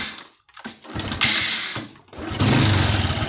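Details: Honda Supra X 125 motorcycle after its regulator was replaced with a Smash regulator: after a couple of brief cranks it catches and settles into a steady single-cylinder putter, lights bright; starts and idles normally.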